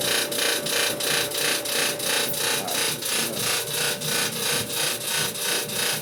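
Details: Harsh, rhythmic scraping grind about three times a second from a running Samsung dryer; persists after replacing motor, drum rollers, idler pulley and belt, and removing a screw from the clean blower fan; cause unknown.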